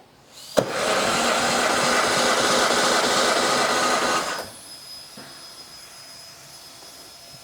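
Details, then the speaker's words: Vintage car that sat unused, compression test on cylinder 2: steady starter cranking with even whooshing beats about three a second, no stumbles; reads 150 PSI, 10 PSI off cylinder 1, considered acceptable. "That one's right at 150. 10 PSI different from cylinder number one. That's a little much, but not uncommon for an engine that sat around for a little while."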